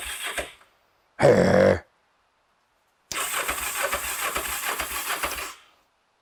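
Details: Kawasaki GPZ 500S twin left standing 3–4 years, petrol poured into the carbs and fuel line: short cranking burst, a pause, then it catches and runs a few rough but steady seconds before stopping; engine starts.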